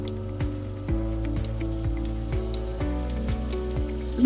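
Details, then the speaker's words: Bucket milker hooked to a vacuum pump: the pulsator gives sharp, even clicks about twice a second, showing enough vacuum to attach to the cow. Normal operation. "hear that clicking you know that there's enough vacuum pole that it can go on the cow"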